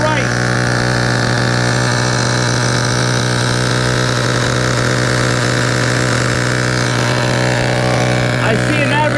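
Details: Vintage Duratrax RTX-27 nitro truck engine on first fire-up after a full service, idle untuned: small glow engine buzzes at a high, steady pitch with no misses or stumbles, running cleanly.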